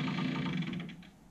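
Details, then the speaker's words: AIWA AD-WX929 1980s double cassette deck, deteriorated rubber drive belts: quick, even slapping clicks that slow and fade as the motor spins down, wheels turning with bits of old belt on them; needs new belts. "so we get rather ugly noise from it um and that is just the wheels turning with bits of the old belt on it"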